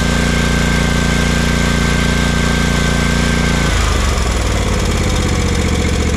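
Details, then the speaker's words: Kawasaki FS541V V-twin on an Exmark Vantage S stand-on mower, previously popping and low on power under blade load; after repair an even, steady drone with no popping, changing speed smoothly without missing: normal running. "Runs just beautifully. Heat up here. Not too terribly bad to diagnose with these symptoms on this engine."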